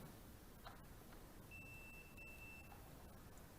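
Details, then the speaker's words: Continuity tester on the 1972 Ford Mach 1 Mustang alternator gives a steady high beep between the output stud and the case, showing the alternator is shorted to ground and shorts out when the battery lead is connected. "so definitely that alternated it is shorting shorting out"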